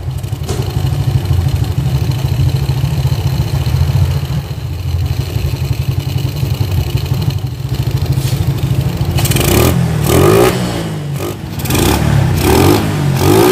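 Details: Suzuki Shogun 110 motorbike after carburetor removal, cleaning and mixture setting: even idle with a steady low thump, then crisp revs rising and falling cleanly; carburetor responding well after the service.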